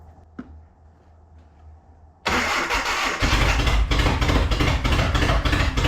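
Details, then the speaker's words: Datsun 720 4x4 King Cab engine revived after about 20 years, rebuilt carburettor: catches after cranking and runs lumpy with irregular pulses, as if firing on every other cylinder, with the carburettor flooding and throttle having almost no effect. "or honestly it felt like it was running on every other one why is the carburetor flooding all of the sudden"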